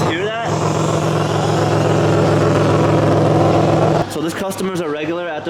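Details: 2006 Chevrolet Impala 3.9L with the rear exhaust section fallen off, mic underneath the car: a loud, raspy idle puffing about 3.5 times a second, then a drone. Exhaust leak, before cat-back replacement.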